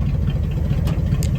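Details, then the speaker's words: 1974 Dodge W100 Power Wagon, revived after sitting 41 years, after installing a new voltage regulator and now charging properly; deep, steady burble with an even beat and no ticking or stumbling: normal idle. "now running cool as a cucumber actually I mean this thing just you don't get much better than that sounds like an old mud truck"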